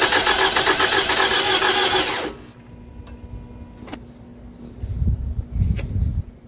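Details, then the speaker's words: 2011 Toyota Camry, 2AR-FE engine, after lifter and rocker arm replacement, battery disconnected and throttle not recalibrated: cranks quickly and evenly about two seconds without firing; owner hears little compression and suspects the lifters or a switch, not confirmed. "Okay. No compression. Like, literally. No compression. Literally, as you can hear, no compression."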